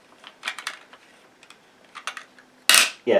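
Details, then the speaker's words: Dyson Small Ball Multifloor upright vacuum, reassembling after filter wash; crisp plastic ratchet clicks as ball half is lined up and twisted home, then handling knocks; the click means it is locked tight. "so when you hear that noise it means it's tight"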